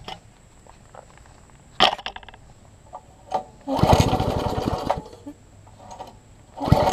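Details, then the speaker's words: Troy-Bilt Tuffy rear-tine tiller after carburettor diaphragm reassembly: scattered pops, brief burst of rough running that dies, another brief catch; owner fears it only ran on sprayed carb cleaner, suspected fuel issue unconfirmed. "I'm hoping it stopped running off the carb cleaner only that I sprayed in there that is my fear"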